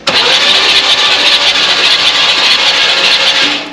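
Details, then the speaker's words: 1967 Buick Riviera sitting 20+ years, on original parts, cranked while checking for spark after the points were cleaned and regapped. A fast, even whir of the starter with no compression chuffs or dragging; cranking sounds healthy. "Uh, so I'm going to go ahead and crank it over, and we'll see if the camera can pick it up."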